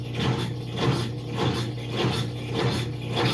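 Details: GE deep-fill top-load washer running with no buttons pressed, agitator not turning and drum only shifting: motor hums steadily with soft rhythmic whirring about every 0.6 s, no agitator thump; owner suspects control board problem.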